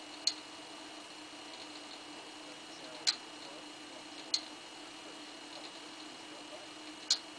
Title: V+ Clicking Noise